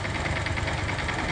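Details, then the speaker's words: 150 motorcycle engine running rough with a rattly knock about five times a second over idle; cause: burst gearbox primary shaft bearing. "Esse motor, ele tá com o eixo primário, o rolamento do eixo primário da caixa de marcha estourado, por isso que está causando"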